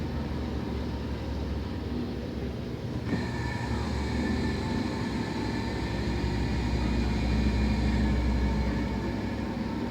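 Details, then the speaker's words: Decade-old LG washing machine after descaling service: loud, continuous low rumble with a faint whirring, worse with clothes loaded, while washing and spinning; owner doubts the technician's claim that it is normal. "y cuando está con ropa es peor el sonido es excesivo"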